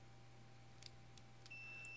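After a couple of clicks, a steady high-pitched beep starts and holds, showing the relay's normally closed contacts are connected.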